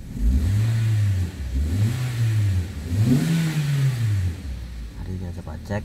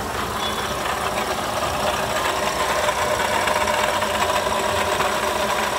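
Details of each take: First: Toyota Sienta petrol engine revved in blips after water pump replacement; earlier rough noise near alternator and water pump traced to the pump's gritty, rough-turning bearing, now gone: smooth revving, no grinding. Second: Toyota Sienta idling, rough gritty whirring at the front of the engine; oil pressure light off, so oil level ruled out; harsh noise dominant at the water pump, worn water pump bearing, replaced with a new water pump unit.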